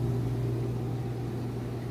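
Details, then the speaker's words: Maytag washer on its final spin with a heavy test load, about a third more clothes than usual: a steady low hum getting up to speed, smooth and even with no knocks or rubbing; normal spin. "It's getting up to speed. I'll lift this lid up and show you, and of course it's going to shut it down, but that way you'll be able to see it is spinning nice and fast."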